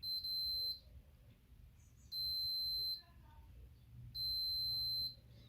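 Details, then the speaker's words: Logitech G910 keyboard W key, which sometimes fails to register, tested with a multimeter continuity beeper: uneven beep bursts with a dead spot between presses. The switch contact is physically faulty and intermittent. "every time it goes slowly there's also a double tap so it's definitely something physically wrong with the switch"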